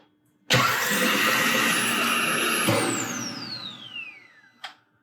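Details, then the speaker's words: 2012 VW Beetle after engine swap, cranked with no spark plugs to prime oil: even starter churn about two seconds, then falling secondary air pump whine; normal cranking without spark. "One more time. Sounds pretty good. You can really hear that uh secondary air pump when there's no rest of the engine running."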